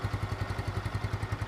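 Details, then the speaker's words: Yamaha Mio 2010 scooter engine, first teardown after 10 years, idling after cleaning spark plug and filter and re-tapping stripped intake bolt and spark plug threads: even low putter, firm regular pulses, crisp, no leaks, knocks or rattles; normal smooth idle. "garing gitu, nggak ada bocor-bocor. Mesinnya juga halus."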